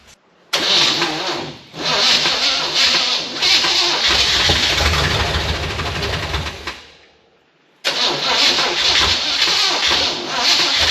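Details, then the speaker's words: K20 truck fired with a little gasoline down the carb throat and a booster pack after the front sheet metal was bolted on: it fires and revs roughly for a few seconds, stalls, then catches again. It runs briefly, dies, and backfires heavily. "That seemed good while it lasted. I know it ran."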